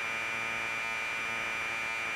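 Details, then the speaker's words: Commodore 1530/C2N datasette playing a program tape with the head azimuth screw deliberately turned well off axis; harsh buzzing data tone with steady high whistle, dull and smeared: misaligned tape head azimuth. "that's definitely wrong so we'll write about in here i'm gonna go extreme so you can hear the difference"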